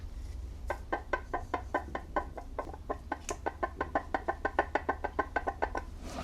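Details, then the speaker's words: Eaton TVS 1900 supercharger from a Jaguar/Land Rover 5.0L supercharged V8, off the engine and turned by hand, gives quick slight metallic clicks from play in the top rotor bearing; unsure whether the play is normal or the bearing has failed. "Hopefully you can hear that slight metallic rattling or clicking and that's cuz there is some play in that bearing at the top end."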